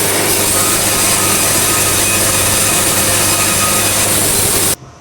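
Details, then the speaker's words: Bandsaw sawmill on narrow boards, governor released and feed speed raised to pretty high: loud, even hiss-like cutting roar at steady pitch, stopping cleanly; normal cutting tone at optimum feed, almost no sawdust, 5 1/4 inches per band revolution. "You can increase my speed another notch or three. Pretty high now. Now I'm starting to get my tone."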